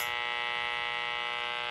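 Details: Sylvania 1-251 tube radio from about 1950, after alignment. Steady raspy constant-pitch buzz over AM stations on low channels; the source is unknown, and unplugging lights had no effect.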